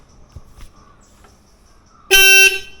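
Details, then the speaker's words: Motorcycle sealed horn after tuning its inner star adjusting screw; one short, steady, clear tone with no rattle or lag over faint street noise, now properly adjusted. "Okay ആയില്ലേ അപ്പൊ phone ശരിയായിട്ടുണ്ട് guys okay ഒന്നുകൂടെ ഒന്ന് phone അടിച്ചേ okay നല്ല sound ആയിട്ടുണ്ട്"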